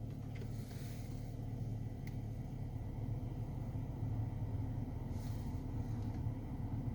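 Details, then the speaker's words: Car heater blower motor after cleaning and WD-40 lubrication during repair: low, smooth, even rumble with no squeak or whistle at higher and minimum fan speeds; normal blower motor operation. "тишина скрипов нет свисток нет работает ровно добавляем обороты смесь там нет ни скрипов нет замечательно"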